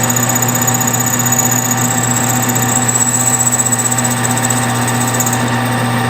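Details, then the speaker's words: Lathe boring the bolt of an old 700 to install a Sako extractor: steady spindle hum with rhythmic chatter at about four per second. The interrupted cut comes from the factory-extractor hole drilled through the center and a large undercut. "Now you might be able to hear it on the camera that there is an interrupted cut in there. And there's 2 reasons for the interruption."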